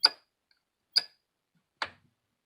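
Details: Ceiling fan-light unit where the fan works but the light will not come on: sharp dry ticks about once a second with no motor hum; cause not found.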